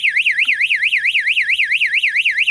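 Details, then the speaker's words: Goldfish pond low-water float switch lowered until it triggers: a loud electronic siren sweeps up and down about five times a second with a flashing light, and the pump shuts off; low-water alarm tripped. "And of course I've got my float switch there, which I haven't lowered it far enough to trigger it. And there you go. That's the trigger."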